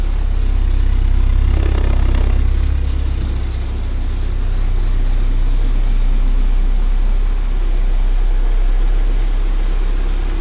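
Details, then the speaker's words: 1979 Porsche 924 during restoration, just started first try and warming up, idle around 850 rpm, slightly low: deep, even idle hum easing after a few seconds, no stumbles or ticks, noisy fuel pump; running smoothly. "a little bit low on the idle but that's okay I'll sort it out when it gets running right"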